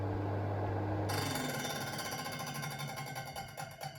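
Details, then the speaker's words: Electric oven in convection (fan) mode: fast, uneven clatter and scrape over the fan hum, loudest as the fan runs down after switch-off; fan catching on grime, not necessarily a defect. "wenn euer elektroherd im umluftbetrieb klappernde geräusche macht so wie es hier im video zu hören ist"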